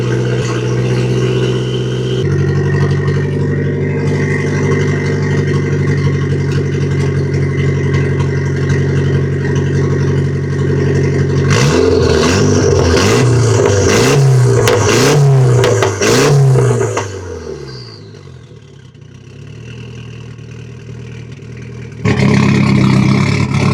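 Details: Nissan S13 with SR20 engine misfiring and breaking up: uneven, lumpy idle, then choppy revs that stumble and break up instead of climbing; fresh plugs fitted, strong fuel smell, owner suspects failing coil packs, new coils on the way.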